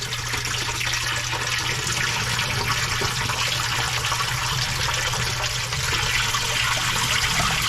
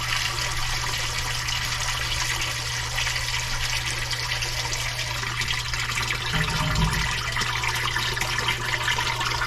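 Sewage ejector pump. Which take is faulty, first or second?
second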